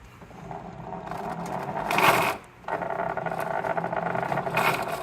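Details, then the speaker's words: Riding lawn mower with a sealed plastic RS800 transaxle, seals replaced and grease added: gritty, scraping whir swells in bursts as it drives, better than before but still noisy; owner expects it to improve once the grease warms up; transaxle noise. "The noise has gotten better, but my thought is I'm going to have to let that grease heat up and work its way into the parts."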